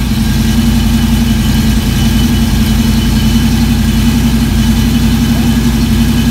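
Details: V8 on run stand with new mufflers for sound test, second run heard from about four feet from the nearest muffler: deep, steady, loud even exhaust pulse with no knocks or misses; normal running.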